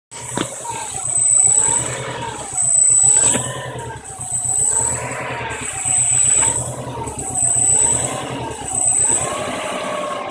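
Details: Subaru EJ22 with a hunting idle that surges and sags about every 1.5 seconds. Rough idle from a bad mass airflow sensor connection; pressing the MAF housing restored a smooth idle, and a replacement sensor fixed it.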